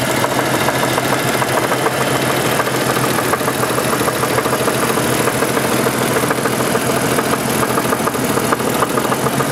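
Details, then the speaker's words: 1988 Renix Jeep 4.0 idling with a dull, fairly steady knock about three per second; it vanishes at road speed, so the owner doubts rod knock and suspects piston slap, slightly louder at the rear of the engine. "I know it my guess is it's not a rot knock because rod knocks brought knock all the time soon as you have a little speed to this go down the road the sound goes completely away"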